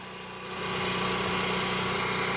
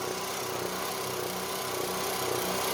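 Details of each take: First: Onan MicroQuiet 4000 RV generator under load, heard outside: brief rise then steady, even drone with no surging up and down; what it should sound like. Normal running under load. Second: Onan MicroQuiet 4000 RV generator just started after topping up oil, no load: small engine hum swelling and fading about every second, speed going up and down; usually levels out once AC is on. Engine speed hunting at no load.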